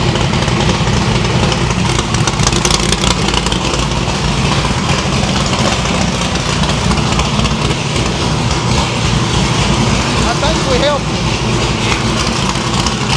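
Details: No-prep stick-shift drag car V8 after new PAC valve springs, distributor index and rotor button fix, all eight plug wires reconnected, headers cold: deep steady idle with clean throttle blips, every cylinder pulling evenly; misfire gone, running healthy.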